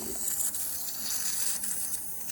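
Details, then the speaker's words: Yamaha RD400 two-stroke, engine off, crankcase pressure test (target 6 psi for 6 minutes): a steady sharp hiss as pressure drops fast. Air leaks past a likely badly distorted rubber carb intake boot despite a fully tightened clamp. "So I think what's happening is when I tighten that clamp as tight as it can go, it's the rubber's probably so badly distorted that it's just not holding any pressure."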